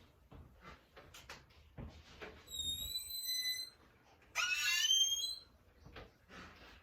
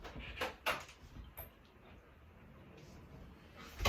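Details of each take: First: Very squeaky door hinge, two hinges with metal rubbing together, before lubrication: sharp high-pitched squeals as the door swings, between soft knocks and handling clicks. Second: two quick squirts each hinge and now we have silence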